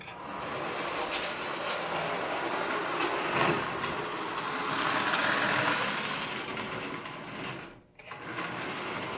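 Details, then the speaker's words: Marx 400 toy train locomotive, very dirty, likely stored decades in a damp basement: motor whirs with a dry, high, raspy whine and cuts out briefly a few times, from very dry wheel bearings needing cleaning and lubrication. "wheel bearings are really dry if you can hear"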